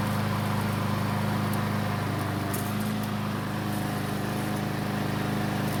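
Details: Troy-Bilt mower that wouldn't start after winter storage, test start after repair: steady even engine note, constant low hum, no surging or misses; runs normally, began burning oil after about 20 seconds, likely from being tilted.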